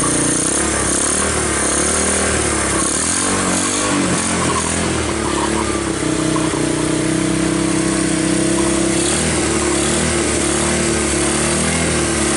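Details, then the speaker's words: 1986 Honda TRX200SX Fourtrax ATV, abandoned in bushes and unstarted for years, first start on choke with key switch bypassed: the single runs steadily with a firm exhaust note and a few throttle blips, no misses or knocks; normal running. "but it did start and it ran and the wheels turned"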